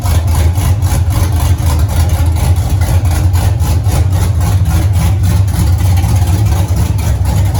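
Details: 1983 Mustang with cammed 5.3 LS from 2002 Avalanche and 4L60E, oil pressure 40 psi idle, 70 revved, no leaks: deep loping idle with steady uneven chop, no knocks or ticks; healthy, everything runs good.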